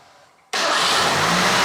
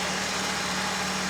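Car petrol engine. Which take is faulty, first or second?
first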